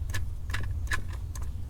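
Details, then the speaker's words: Brand-new idler pulley spun by hand: only light hand ticks and low background hum, no growl or gritty bearing noise, unlike the worn one replaced. "it is absolutely silent you guys can't hear anything other than me spinning it but there's no noise out of the bearing"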